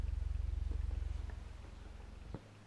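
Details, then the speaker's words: 1950s Electro-Voice 18WK woofer on a sine sweep at about 10–22.5 Hz: deep, fast low-frequency throb with faint creaks from inside the driver; voice-coil rub or rattle suspected, surround has a small pinhole leak. "it's a woofer from the 50s and it's liking ten cycles up to eleven point eight 22.5 hopefully you can hear the creaking in the driver itself"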